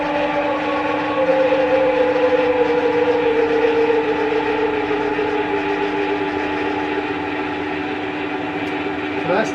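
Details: 1977 Schaublin 13 milling machine spindle in the low range, running down to 58 RPM: a quiet, even gear hum with a steady tone that slowly drops as speed falls, with no knocks or grinding; a healthy spindle.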